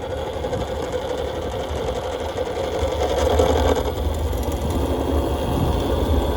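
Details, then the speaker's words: Nathan's custom Voloci electric bike, first ride in about 20 years: loud, fast, uneven sewing-machine rattle rising with speed, very rattly off startup with zero torque off the line; hub motor cogging, not the chain. "Yeah, I was hoping this motor was going to quiet down by driving it a little more, but this motor just makes so much noise when it cogs."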